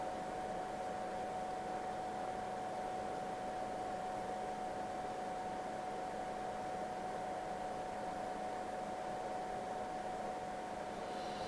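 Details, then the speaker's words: LYTE gaming PC that reportedly gave no video signal, booting: loud steady rushing air with a constant high whine and no change in pitch, PC fans spinning awfully fast; cause not confirmed. "those fans are running awfully fast awfully fast oh maybe not that was way louder"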